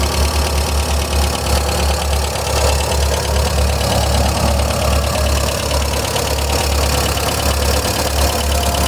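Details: 1999 VW Gol "bola" 1.0 petrol engine at idle; steady low idle with fast, light ticking that tracks engine speed; owner suspects a lifter (tucho) tapping, unconfirmed.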